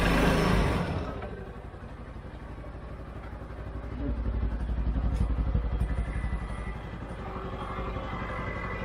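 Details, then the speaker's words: 2013 CFMOTO Z Force 6 after a fuel pump change, with 45 PSI and the filter primed but the tank probably low on fuel: a short burst as it catches, then a steady, even idle with a regular low beat and no misses or knocks. "Okay. Okay. There it is. It runs. Runs really good. We just gotta put some more fuel."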